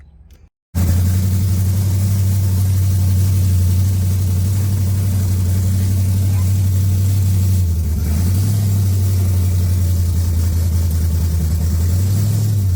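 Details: 1980 Pontiac Trans Am V8 after distributor install, head work and new TH400 build: deep even rumble with smooth throttle blips, no valvetrain tick; engine runs healthy.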